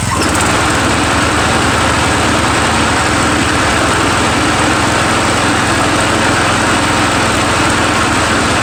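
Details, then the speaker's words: Murray 17.5hp riding mower with 42-inch deck after new Stens 265-031 deck belt and deck install, gas leaking at the side: steady even single-cylinder drone under mowing load, no stumble, knock or surging; PTO clutch slightly sticky, normal running. "all right a little sticky there on the pto clutch so other than that you know hey it's uh it mows well now noise i think it's a win-win"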